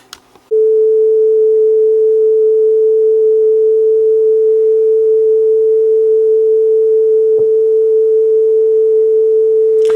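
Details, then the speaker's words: Teac V850X three-head cassette deck playing a test tone near 440 Hz: the pitch wavers slightly with speed flutter, which the owner suspects comes from a drive belt fitted five years ago and little used, now developing a soft spot. "as you can hear I'm hearing a little bit of flutter in there this thing hasn't had a lot of use lately so my belt that's been in there for five years is probably starting to get a bit of a soft spot"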